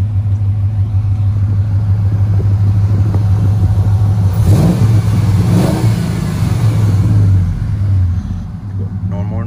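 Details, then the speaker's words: Ram Daytona after replacing noisy pulley, fan clutch and belt (previously a whining airplane-like noise): engine revs up and falls smoothly with no squeal, chirp or rattle from belt drive; normal revving after repair. "and this is how it sounds after the the pulley and the clutch"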